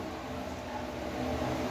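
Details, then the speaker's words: Electric fan that stuck at start-up despite a new shaft and bushings, after reassembly with the loose front washer refitted: steady, even whir with no rubbing, ticking or grinding; the noise is gone and it spins freely. "bueno ya no se escucha el ruido castilla y si gira recio"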